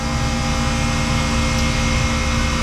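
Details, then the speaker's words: Manitowoc ice machine condensing unit on the roof kicking on, with a steady whooshing fan and a low hum, no rattles; running normally. "there we go she's gonna run like a champ"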